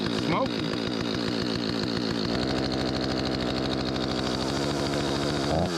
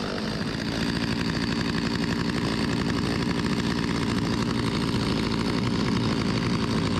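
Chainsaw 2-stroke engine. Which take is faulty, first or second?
first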